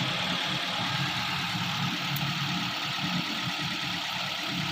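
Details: Vehicle idling after a crankshaft position sensor wiring short to the plus wire was fixed and the damaged engine computer repaired (was no crank no start): steady, even idle with a smooth hum, no knocks or misses; idle holds stable, normal.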